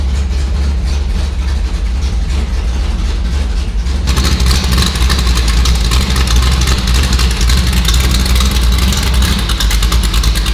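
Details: 340 V8 Plymouth Duster that sat for 22 years, first run with the fuel pump switched off: deep, lumpy V8 idle with an uneven loping beat that grows harsher; rough running, cause unknown.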